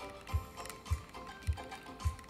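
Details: Cassette adapter playing music from an iPad, low regular thumping clicks under two a second over quiet music from grinding adapter gears; poor alignment, left/right channel imbalance.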